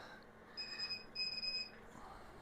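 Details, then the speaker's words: A KATOOL KT-710G manual computer wheel balancer, balancing a 17-inch aluminium rim wheel, gives two short high beeps over a quiet shop at the end of the measuring spin. This is the normal reading signal while the weight is lined up at 12 o'clock. "so what I'm trying to do, you can hear the beep. I can barely hear it cuz my hearing's bad, but I'm trying to get all those lined up"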